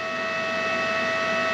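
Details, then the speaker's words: Arccaptain MIG 250 welder on 220 volts, just switched on: the cooling fan kicks on with a steady, even whir and no rubbing or rattle, senses the machine isn't hot, then shuts off; normal. "You hear the, nope, no fan, yep, there's the fan. Fan will kick on, it'll sense that the machine's not hot."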